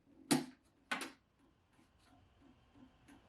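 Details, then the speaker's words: Shipping-damaged, dead-on-arrival Mac Classic II at power-on: two sharp clicks half a second apart, then faint ticking; hard drive seems to try spinning up and fails, machine non-operational. Transit damage or prior fault suspected, not confirmed. "sounds like the drive is trying to spin up but can't and to no one's surprise the machine is totally non-operational"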